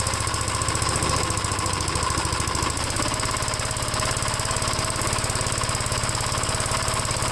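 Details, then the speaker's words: 1957 Gravely tractor, previously cranked two seconds then quit, after fitting new starter button/switch: engine catches and settles into steady, even single-cylinder chug, no misses or knocks; normal start and run. "what do you guys think it'll start now with the new uh starter button I'm gonna let it start I'll turn the gas on if it if it uh cranks over here"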